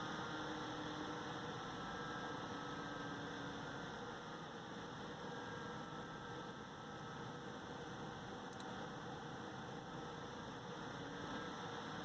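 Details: AMD Wraith Spire stock CPU cooler fan running loud with a steady airy whoosh and constant hum.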